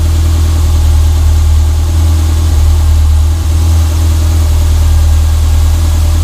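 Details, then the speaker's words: Renault 5 GT Turbo after repairing rodent-chewed fuel and boost lines that made it run very rich: deep even idle, steady drone, no misses, surges or knocks; fuel ratio good, back to normal. "so yeah oh back to normal again so yeah it's really sweet now happy days mate"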